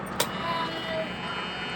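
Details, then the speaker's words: Yamaha Mio Soul GT scooter, ignition key on, refitted fuel pump with a known-good pump IC, tested dipped in petrol without the tank: a click, then a faint steady hum as the pump primes normally; the engine then starts. "Ini teman-teman sambil kunci konta on dia udah dengung."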